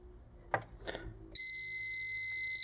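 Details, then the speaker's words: Lyman 1200 digital powder system after its keypad was repaired with new tactile switches, switched on with the top-left key: soft button clicks, then one steady high beep lasting just over a second. Normal power-on beep. "if we press this left top one it should switch the unit on so that's what I'm going to do"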